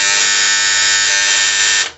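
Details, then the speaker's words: DOL starter contactor on a large farm-field motor; loud, harsh, high-pitched electric buzz for about two seconds when the starter is switched on. The contactor is chattering and noisy, described as fixable at home in minutes. "बहुत ज्यादा इसमें no जा रही बहुत ज्यादा इसमें आवाज़ ए रहा है कुछ इस प्रकार से जो स्टार्टर वह आवाज़ करने लगता है"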